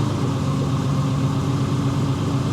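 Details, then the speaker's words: 1964 Ferrari 250 GT Lusso V12, first start after full restoration and about 25 years laid up, basic tuning only: deep, even burble with a steady low note, no knocks or misses, idling cleanly. "Just got it running. It sounds really good."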